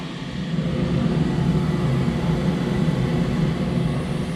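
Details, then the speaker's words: Flat's gas boiler running at maximum during a gas pressure check, standing pressure about 23 and about 18–19 working pressure at the gas valve, which is in order: a steady, even burner roar with no flutter or banging. "Turn it on and we get the boiler to kick into maximum. And that will tell us obviously our lowest gas pressure that we'll be receiving at the gas valve."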